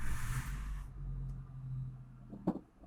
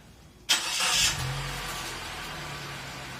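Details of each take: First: Suzuki APV after clutch disassembly and transmission refit, clutch pedal pressed at idle: steady low hum with no whirring or grinding; the release bearing, previously noisy and rough when the clutch was pressed, is now quiet. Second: Suzuki APV clutch: engine catches and idles with a harsh, gritty rasp; pressing the clutch pedal gives rough, noisy sounds inside the clutch components, pointing to a worn clutch release bearing; teardown planned starting with propeller shaft, then transmission.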